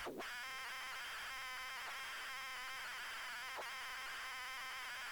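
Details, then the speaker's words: ZX Spectrum cassette playing a steady, buzzy turbo-loader data warble with faint chirps; this loader type is notoriously hard to load. "it's one of them turbo Plumbing loaders the notoriously bad to get to load"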